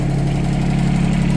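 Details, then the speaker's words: Yanmar 3TNV70 diesel from a John Deere Gator, swapped into a CAT 300.9 mini excavator, first start with glow plugs not yet connected: smooth, even, low idle, no knocks or rattles, no smoke, much quieter than the old engine; normal idle. "It's quiet as a mouse. No smoke. I got to put the other uh I got to put the other weight back on. But yeah, sounds good. No smoke. Yeah, it's running good."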